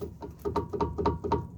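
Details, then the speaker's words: Opel Zafira B front suspension, stabilizer link removed, part worked by hand giving irregular dull clunks about four per second; owner blames the link and stabilizer bushing; suspension knock. "И сразу же появился стук. И стук конкретный. Вот этот стук, который не давал, покоя, елки зеленые."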